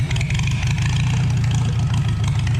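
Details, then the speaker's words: 1949 Farmall H, first start after sitting for years: steady low idle with deep even chugging and no knocks or misses. It sounds loaded but smoother, and a leak was noticed. Normal idle. "Funny. It sounds like it's loaded more, but it's smoother."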